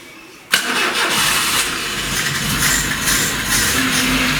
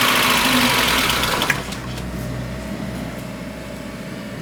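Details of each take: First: VAZ 21099, 185,000 km, previously rough-running, knocking and burning oil, first start after head rebuild with new plugs and timing set: catches at once and settles into steady, even run with no misfire or knock. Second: VAZ 21099 with a 1.5 L carburettor petrol engine at 185,000 km, cold morning start on choke: it catches with a loud burst, then idles unevenly, misfiring with a knock, and burns oil. Compression: cylinder 1 11.5, cylinder 2 9.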